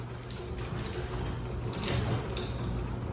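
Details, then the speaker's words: Newly installed Chamberlain 248739 belt-drive opener after belt tightened slightly (possibly too much): smooth even low motor hum, no grinding or knocking; motor sounds good, normal operation. "Might be a little too much, but we'll see. I might back it off. But the motor sounds good."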